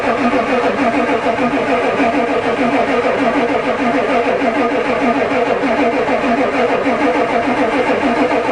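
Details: Ford diesel truck at +4 °C, starter spins evenly at about three turns a second but never fires, diesel smell; the new glow plug controller never clicks, owner suspects it doesn't work.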